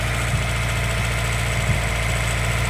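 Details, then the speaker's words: Honda CR-V with throttle cable adjusted to keep it running, idling high at about 1,500 rpm on a vacuum gauge test: uneven, stumbling low pulse with occasional skips, nearly stalling. Misfire and rough idle. "It is idling kind of high right now. Uh, you can probably hear it misfiring."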